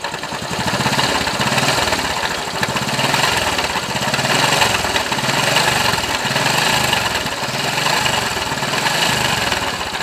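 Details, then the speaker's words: Honda Wave Alpha 110 motorcycle that other shops called normal: idle with a harsh gravelly rattle like stones grinding inside; worn crankshaft bearings. "yan so yun yung tunog niya parang may naggiging ng bato sa loob"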